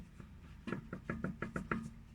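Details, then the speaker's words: Lada Vesta 1.8 at 10,300 km, front left wheel rocked by hand: seven quick dull knocks in about a second, wheel has play; owner suspects ball joint, tie rod end or steering rod, calipers ruled out. "кто-нибудь знает нет что это за звуки могут быть такие от чего от шаровой либо наконечник"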